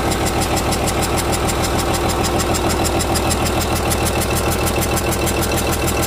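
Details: Komatsu S6D125 diesel test run after general overhaul (crankshaft, six liners, two pistons, two conrods, bearings, pumps, turbo, injection pump and nozzles replaced or serviced after a broken piston and spun rod bearing): steady, even idle, clean smoke, no knocks or misses; healthy.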